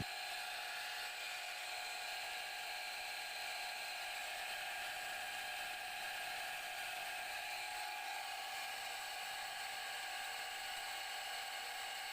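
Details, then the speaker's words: Repaired water pump motor (about two years old) drawing from roughly 50 ft deep source up to hillside house: steady even high whir, no knocks, scraping or stalling; running normally after repair. "niyo Gumagana na yung nire natin"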